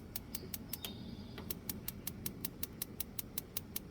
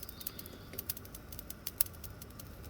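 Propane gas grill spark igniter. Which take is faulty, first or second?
second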